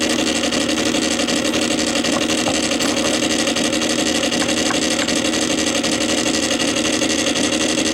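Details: Columbia Graphophone AH after a motor service in which both dry springs, with powdered grease, were cleaned and re-lubricated, running with no record: steady whirring gear noise with a faint even tick and no speed wobble. The spring motor turns freely with normal gear chatter.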